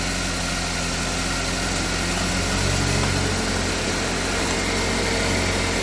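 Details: Engine with previous head gasket and burnt-valve repair, back for P0014 exhaust cam code, after installing new Dorman part and tensioner: steady, even idle with constant low hum, no rattle or stumble; sounds healthy, though scan shows new part prematurely failed.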